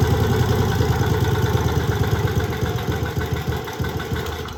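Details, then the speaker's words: Old 3.5 hp Briggs & Stratton single from a go-kart, sat outside 8+ years, had a stuck valve with zero compression, no choke: small uneven chuffs at about 3.5 beats per second, fading, won't come off idle; owner suspects fuel starvation. "Come on, buddy. Does not want to come off idle. I'll just let it warm up for a little bit."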